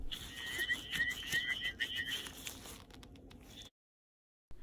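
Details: Hearing aid cupped in the hand after its earwax was scraped out with a wire loop and brushed clean: a thin, high chirping feedback whistle comes and goes, showing the cleaned aid is amplifying and working normally.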